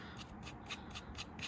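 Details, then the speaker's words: Fiat 500 clutch release bearing, removed and spun by hand: dry, gritty rasp pulsing about four times a second, crunchy and grindy; worn release bearing that spins constantly. "this is the bearing and um you can hear it it's quite crunchy and grindy uh and that's spinning all the time"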